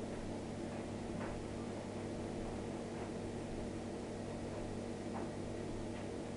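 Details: Miele dishwasher just started on the Normal program with a load in: a quiet, even hum with faint regular ticks about once a second and nothing harsh or grinding, a normal start.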